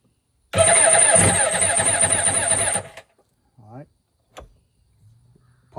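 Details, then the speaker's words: Kawasaki 1100 jet ski, low compression engine, fuel poured in carb, choke on, mismatched spark plugs, battery 13 volts: even cranking about four turns a second that dies off, barely catches once; starter suspected weak. "When it gets hot, it loses power because it sounds like it's just turning good to begin with and then it just kind of dies off."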